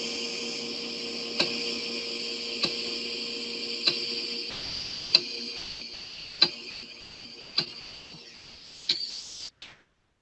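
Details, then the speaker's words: Floppy disk drive in good condition reading the same old disk tracks as a faulty drive did, during recovery of the Repton 3 source code: a steady, louder motor hum with crisp head-step clicks and no scraping or screeching. Normal disk reading. "as you can tell uh you can hear there's has a louder hum for the the motor but that's fine and there was no sound of scraping or screeching"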